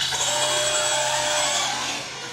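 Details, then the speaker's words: Traxxas Slash 4x4 RC truck on 3S, full trigger: high steady motor whine that holds then fades without solid drive, not wheel spin; slipper clutch slipping and probably worn out. "Hear it? That's slipper clutch slipping. So that's a bad thing."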